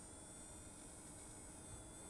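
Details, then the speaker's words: ASUS Dual RX6750XT graphics card running Unigine Heaven under heavy load, microphone held close: faint steady high-pitched coil whine over fan rush, seemingly from the card's centre, before any repaste, pad or choke fixes. "So that is coil wine and it should replicate basically what you're seeing on the screen. I'm pretty sure it's coming from somewhere reasonably central."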